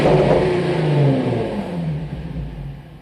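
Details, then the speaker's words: 2005 Infiniti G35 (Nissan 350Z platform), bought new, revved after replacing the 11-year-old alternator. Strong rev falls smoothly back toward idle, clean and even with no knocks or squeals; the engine responds properly. "yeah sounds like she works perfect gotta love the shock wave nothing sounds better"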